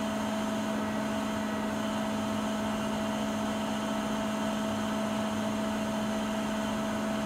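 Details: Siemens iQ300 washing machine (WG41A1X1TR, 9 kg, 1000 rpm) in its 13-minute spin program, at peak speed midway: a loud, steady whirring with two constant tones and no knocking or scraping. This is a normal high-speed spin.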